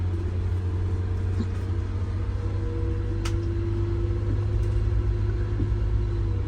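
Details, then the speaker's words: MCI 9 bus test drive after replacing bad wheel bearings, king pins and air bags, metal found in rear end oil: deep steady engine rumble with no wheel growl or drone; engine now audible, wheel bearings quiet and healthy. "yeah I can hear the engine today and the other day I couldn't hear the engine because of the wheel bearing noise yeah it's amazing"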